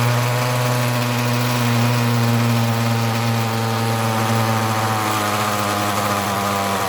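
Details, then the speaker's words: Ryobi RY251PH two-stroke trimmer power head, cold engine, starts well but buzzes unevenly and dies when throttle is released; only a high-speed adjustment exists, so carburetor and fuel hoses are to be replaced. "when I start it starts up pretty well but if I take my hand off of the gas it just dies out it's a cold engine"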